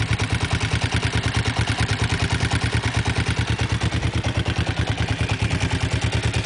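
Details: Kawasaki GPZ engine at idle: sharp, regular clatter keeping time with engine speed; something mechanical knocking, exact source unclear.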